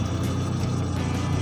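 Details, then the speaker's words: Engine at normal idle before misfire testing: steady, even low throb with no stumbles or skips and very little vibration. Normal idle. "Ini enjin dalam keadaan normal apabila dihidupkan. Jadi kurang dia punya gegaran, memang amat slow dia punya gegaran yang biasa,"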